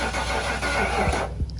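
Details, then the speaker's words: 1996 Ford F-250 work truck, 460 big block, rat damage: starter churns steadily under two seconds, engine never fires; crank no-start, starting fluid being sprayed, weak spark or fuel not reaching suspected, not confirmed. "all right i'm gonna try to spray some while you do that it sounds like it's not getting to it"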